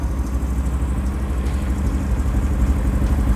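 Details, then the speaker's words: Honda CB350 cafe racer, 360 cc twin with a polished original engine: deep, even idle thrum with no misses; a slight ticking noted but considered as good as it gets, running healthy. "Nih, mesinnya ya kalau dibilang halus banget enggak, sedikit ada bunyinya icik-icik. Ini udah paling maksimal, udah paling topnya dah, udah paling enaknya."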